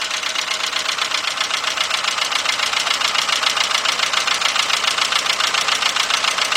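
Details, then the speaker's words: VW Beetle/Golf/Jetta 2.0, bought used, idling under the hood: rough fast uneven chuffing pulse, three to four beats a second; misfire, owner suspects a bad original plug wire, not confirmed. "all right let's go up under the hood man this thing sound bad but this is part this is uh the vehicle that we bought so next we got diagnosed what the heck definitely got a misfire"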